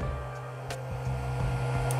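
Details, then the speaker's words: Creality Ender 3 after 32-bit silent control board upgrade: low soft stepper hum with brief pitch shifts as axes home, no whine or grinding; motors now much quieter than before. "one thing I notice it's definitely quieter like the motors aren't making noise anymore whereas before I could hear it it's not doing that at all"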